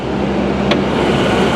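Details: 1998 Ford Explorer, 26 years old, bought non-running with a bad fuel pump: fired right up into an even, steady idle hum with no ticking, knocking or smoke; normal idle.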